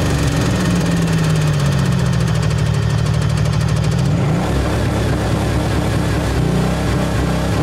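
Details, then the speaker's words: Blown-engine Pontiac, oil on the floor, on nitrous: lumpy uneven running, droning note dropping then wavering; dead cylinder, charge lighting off outside the engine; head gasket later blew. "it's not getting into the engine it's just like firing outside of the engine i'm gonna try to ease into it this time just need some love bro"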